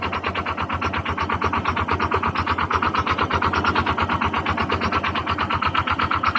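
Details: Honda Click 125 FI scooter engine before overhaul, idling with a sharp, hard, even metallic knock about three per second; connecting rod knock inside the engine.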